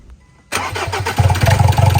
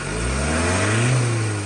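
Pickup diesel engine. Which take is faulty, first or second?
first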